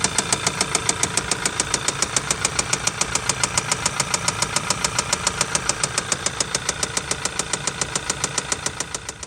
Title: Audi VW 2.0t ROD KNOCK engine bearing failure noise shiny spots on piston hitting cylinder head